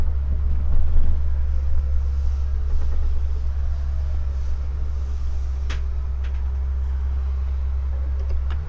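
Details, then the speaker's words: 1978 GMC Motorhome 26ft Royale, just started on a test drive: low, steady rumble with no knocks or misses as the idle comes down. "there it's coming down with the idle as the as it runs more it's going to tune itself a little bit more to different situations"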